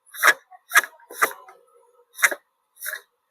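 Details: Pedestal (stand) fan motor with the blade removed and the mic held at the shaft: sharp, dry, uneven clicks about two a second. The loose knock is usually from a worn bush and shaft.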